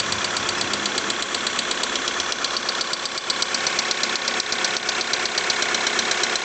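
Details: VW Polo 6R 1.6 TDI diesel at idle with a sharp regular metallic tick about twice per second; knock present, source unknown.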